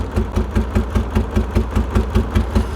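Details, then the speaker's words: 1989 BMW E34 535i, M30B35 six, pulled from the woods, last registered in 2012: uneven lope, about three heavy chuffs a second with dead gaps. Misfire, owner suspects fuel. "I mean this is just downright bizarre I mean like what in the hell that is the weirdest running condition I've ever seen"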